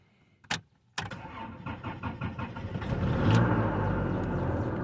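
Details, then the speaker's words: Car with a completely dead battery after sitting three months, jump-started with a 400 peak amp USB portable jump starter: quick whirring crank of about a second catches cleanly and settles into steady idle; normal start. "wow cranked up instantly and I was able to get it running after 3 months of sitting with a dead battery"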